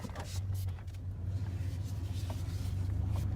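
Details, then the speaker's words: 2001 Dodge Ram after power steering service: steady low engine rumble, with no grinding or squeal as the wheel turns; steering is easier, and the earlier grind-squeal was attributed to low fluid. "come back here i'm going to turn see if i can get it to do any type of squeaking at all absolutely no more grind at all"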